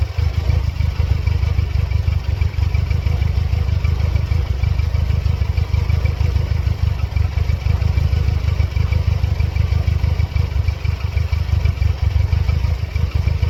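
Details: 1999 Mercedes-Benz C230 Kompressor W202 with check engine light on and periodically flashing: heavy, uneven low rumble at idle with a lumpy clattering pulse around three per second; rough running, likely misfire.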